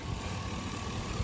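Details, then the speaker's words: 2002 GMC Yukon XL, 5.3 Vortec V8, original engine at about 315,000 miles, throttle body cleaned: low, smooth, steady idle at exactly 500 rpm with no dips or misses; normal idle. "spray it on a rag wipe it wipe it good to go yeah literally running like a clock"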